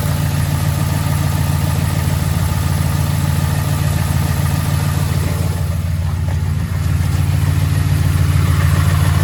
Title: 2011 Ford F-150 5.0 Rod Knock 2